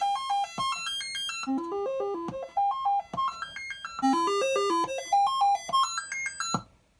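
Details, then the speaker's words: Commodore 64 on test machine with the SID chip from the broken machine, dead test cartridge sound test (checks 3 of 4 voices): quick runs of clean stepped tones climbing and falling in tune; tested voices working. "So, the voices that we can check are in fact working. This is good."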